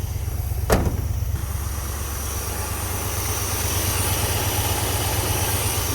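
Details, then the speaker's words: International Scout, sat 18 years, oil pressure gauge not working: smooth, even idle with low rumble and no lifter tapping after a brief chirp; oil pressure reaching quiet lifters. "Oil pressure gauge doesn't seem to be working, but I know we we're getting oil pressure. I can hear it. Also, the lifters would be making a racket right now if there wasn't any."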